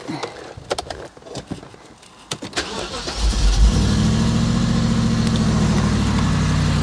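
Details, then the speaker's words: BMW E64 6-Series, N62 V8, after being driven 500 yards with zero oil pressure when the oil filter cover cracked, new cover and oil: some clatter, then it cranks, catches and settles to a steady even idle with no knocking; smells a bit rich. "well that sounds like a fully working model to me foreign strange noises smells a bit Rich"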